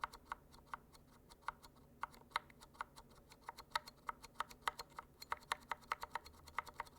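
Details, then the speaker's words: Glorious Panda tactile switch: sharp, irregular ticking on each key return as the tactile bump clears the leaf. This is leaf tick, not spring noise. "Oh yeah, this has a ticking issue too. You guys hear that? I mean, never mind the sound test. This ticking is kind of bad. I don't think this is the spring, this is a leaf."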